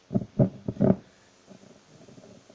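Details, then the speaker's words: Labtec computer speaker with volume control/switch, brought in for crackling and noise: loud rough crackle bursts then irregular crackling and hiss, also when wiggling the cable; suspected wire fault in one or two places or volume potentiometer, which will be replaced. "И как вы слышите, колоночка потрескивает. Шевелим здесь. Тоже потрескивает."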